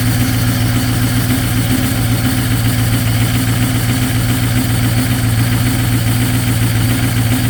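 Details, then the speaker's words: 6.0 Powerstroke diesel at -2°F, cold start into high idle with partially gelled fuel: loud, uneven stumbling pulse about two beats a second like a miss; cleared after adding anti-gel and topping up fuel. "it had no power and it it sounded really weird and it was almost sound like it was missing turns out the fuel was gelled"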